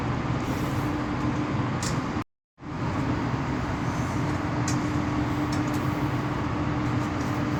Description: The outgoing cables from low voltage MCC giving high humming sound, cable to cable vibration and wrong cleats are used, which made a current leakage to the ground also cause it to be heated up, cable tie used and later we will use the proper cleats.